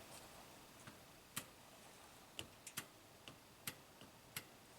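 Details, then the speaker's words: 2015 Toyota Camry at 125k miles, U760E transmission with P2714 shift solenoid performance code, SLT solenoid energized via harness with battery negative: sharp crisp distinct clicks; solenoid moving properly, 1.2 A drawn. "And if we touch this to battery negative, we should hear a distinct click. Let's try it."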